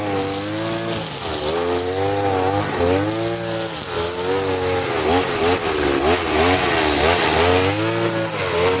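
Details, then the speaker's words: Side-mounted brush cutter running the blade setting of the carburettor mixture screw but fitted with nylon line, cutting short grass: high buzzy two-stroke rises and sags about every second under load, never holding revs; it cuts but lacks power. "Lihat sendiri kan, boleh, memang boleh, tapi tenaganya tidak ada guys ya."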